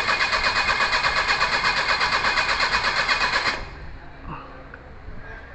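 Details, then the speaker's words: Perodua Kancil after a carburettor change, with coolant, engine oil and gear oil checked: steady cranking at about three turns a second for over three seconds with no firing; it cranks but won't start. Owner suspects timing, possibly valves. "Okey, kalau dia tak hidup macam ni, senang je. Kita ambil W40."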